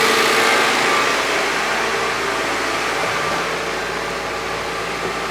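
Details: Honda Civic that overheated after hitting a raccoon, after repair: throttle propped at about 2,000 rpm warming until thermostat opens, listening for radiator fans to cycle on reused switch; steady, even fast idle, smooth hum, no knocks.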